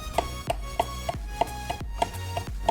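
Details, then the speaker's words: Logitech G29 steering wheel base opened: sharp clunks about three per second as the wheel is rocked, from the shaft loose because its mounting screws ran slack. "that's is the noise I was hearing when I was shaking my steering wheel and that is really annoying"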